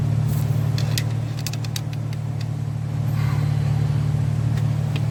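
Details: 2015 Chevrolet Silverado 5.3 with P0300 misfire and flashing check engine light: uneven stumbling idle with light quick valve-train ticking; a failed lifter not holding pressure causes the misfire.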